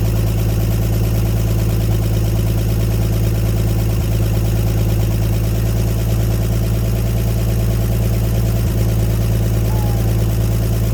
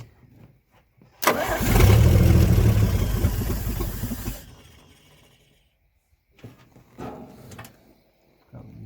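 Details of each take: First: 1954 Chevrolet 150 revived after sitting, running with the coil jumped and on jumper cables: a low, even idle holding a constant beat with no misses or stumbles. Smooth idle. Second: 1954 Chevrolet 150, long-sitting, after the carburetor was remounted with the float bowl filled and the starter jumped: cranking catches into a loud, rough rev for about three seconds, then fades; cold start runs only with choke on.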